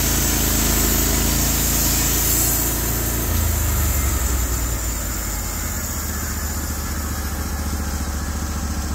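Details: Norwood HD36v2 bandsaw mill evaluating new roller guides (ceramics replaced) on a black oak log: a deep, steady engine drone that holds even through the cut with no bogging or surging. Normal cutting under load.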